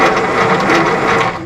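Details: 1952 Willys pickup with F4-134 engine, off the road since 1991 and previously seized, starter jumped at the solenoid: brief, smooth, even whirring as the engine spins freely; no binding or grinding, cranking healthy.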